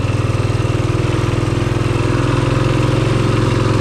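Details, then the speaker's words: Rokon Trail-Breaker motorcycle on a hillside trail after its burnt clutch was rebuilt with new parts: steady, even low thumping under light load, no slipping or chatter; the new clutch pulls smoothly, normal running. "love this rokon motorcycle funnest thing ever new clutch happy cruising along the side of this slog"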